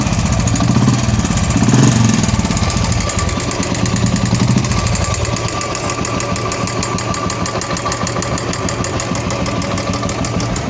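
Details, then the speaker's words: Royal Enfield Classic 350 UCE single-cylinder idling with rapid, uneven top-end ticking from a noisy hydraulic tappet. Cause found to be a weak oil pump; the oil pump and hydraulic tappet are to be replaced. "ये गाड़ी का hydraulic tappet आवाज़ कर रहा है।"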